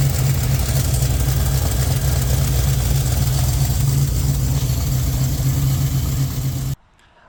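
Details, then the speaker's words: 1967 Chevy Nova small-block with FiTech EFI warming up after injector cleaning, with fuel leaking past the rear injector O-rings: steady low idle rumble with an even beat and no misses or knocks; running smoothly. "the ear detector doesn't hear anything anus and it sounds pretty good so we might have gotten lucky and didn't hurt anything"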